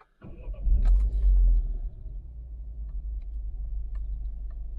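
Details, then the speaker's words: Citroen DS3 THP 165, 30,000 miles, full service history, that had a slight erratic, timing-chain-like idle. Only the rear oil-pressure solenoid was replaced and no timing kit was fitted. It cranks, catches and goes straight to a perfectly fine idle. "Just goes straight to a perfectly fine idle."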